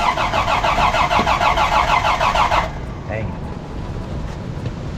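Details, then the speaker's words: 1983 Toyota Land Cruiser FJ60, carburetor recently rebuilt, slight exhaust manifold leak: starter turns the engine at a steady, even beat for under three seconds but it never catches, needs starting fluid; hard starting, cause unclear. "the guy did kind of rebuild the carburetor but still it has a hard start i'm not sure what's going on there"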